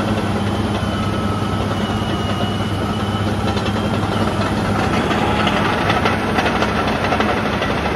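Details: Ex-military Cat D7G dozer after service, including oil and hydraulic filter changes, after an earlier hour-long run: loud, steady, even diesel rumble at constant speed with no knocks or misses; running healthy.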